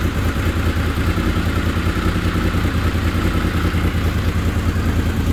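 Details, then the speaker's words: Honda VFR750 after carb work with 40 jets, restarted once the carb bowls were filled: a deep, even engine note with quick, clean pickup and even firing; normal revving. "sounds like she's picking up quicker"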